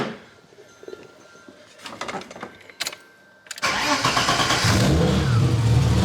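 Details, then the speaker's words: BMW E30 started after battery work and a feeler gauge check, long unused: a few clicks, then it catches and settles into a steady, even idle with no valvetrain ticking. Sounds good, normal start and idle. "Sounds good to me."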